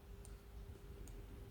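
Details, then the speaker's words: Sonic flasher after an attempted repair that failed. Just two faint ticks about 0.8 seconds apart over a low steady hum, far too weak: faint ticking output. "that is that is that is pathetic let's um try again oh no never listen to that that's the sound of disappointment that's the sound of baby birds dying in their nests"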